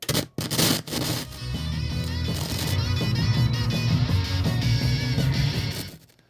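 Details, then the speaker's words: 1966 Fisher 220T vintage receiver before restoration: music breaks into scratchy pops and crackles as the volume knob turns, a noisy pot needing cleaning; the left channel is also weak, possibly from the pot or the capacitors. "I'm going to turn this on you'll hear the noisy pot here lot of"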